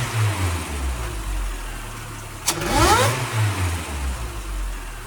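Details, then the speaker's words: Supercharged Toyota 22RE with intake piping changed to feed straight into the throttle body, trying to make it louder: deep idle swelling into a quick rev, with a rising whine following the revs before settling back; healthy supercharger whine. "That was insane! It sounded awesome!"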